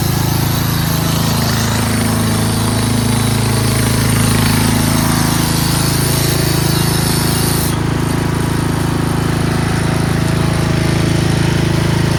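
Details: Craftsman 13.5HP 30-inch rear-engine riding mower with safety switches bypassed, after a valve lash adjustment: a steady single-cylinder thrum with a fast buzzing rattle at constant speed from a loose clip that still vibrates despite tape.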